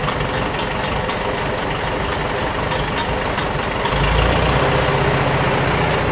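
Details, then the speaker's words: 1947 Farmall A tractor that sputters and dies once hot, with the ignition coil getting too hot to touch, started cold: even, steady putter at idle with a regular beat and no knocks or stumbles; normal idle. "Yeah. The terrible thing is despite its problems, it it sounds beautiful. It runs great until the moment it doesn't."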